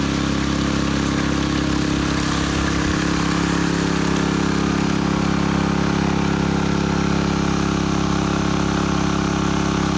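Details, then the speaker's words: Honda WX15 1.5-inch water pump, bought new, started after sitting three years, on a high banker for small-scale gold mining; mic right beside it, steady even small-engine drone quiet enough to talk over, no knocks or misses: normal running. "Sitting right next to it, and I'm talking in a normal voice. Gotta love it."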